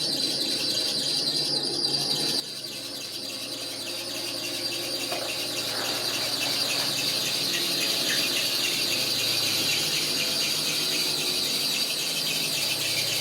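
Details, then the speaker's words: 1987 Toyota Tercel wagon at idle: steady high-pitched belt squeal since water pump replacement; alternator won't stay in place, so the belt loses tension over time and slips, needing constant retensioning. "one thing find that belt squeal it's been doing that since i replaced the water pump what the issue is is the alternator can't seem to just stay one in one place so i have to constantly add tension to it and it just squeals because it gets loose over time"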